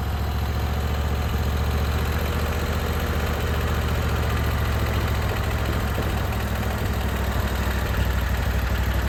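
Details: Briggs & Stratton Vanguard V-twin on a Vermeer SC362 stump cutter, idling after bent push rod replacement and valve lash adjustment; even steady low thrum, no skips or uneven pulses, smoother than before with minimal vibration.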